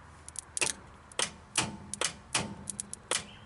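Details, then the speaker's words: 1951 Studebaker overdrive lower solenoid, key on, testing by touching power to the solenoid wire: sharp, irregular metallic clicks every half second as it snaps in; solenoid working normally. "You can hear this solenoid coming on."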